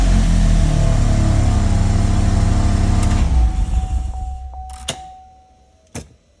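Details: Saturn Sky / Opel GT / Pontiac Solstice after a no-crank, no-start fault was fixed: steady even run with smooth firing, then revs drop away cleanly and the engine shuts off; healthy start and stop.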